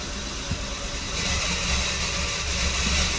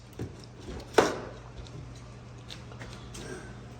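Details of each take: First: 2014 Dodge Dart 2.4L MultiAir after installing a used MultiAir brick (variable valve actuation unit) that would not sit flat: engine starts and revs cleanly with steady even note, no stumble; runs much better than the previous brick. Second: 2014 Dodge Dart 2.4L MultiAir, morning after installing a used brick: extended cranking, fast steady starter churning, engine never catches, codes erased; owner fears burning the starter, suspects brick oil pressure not built up.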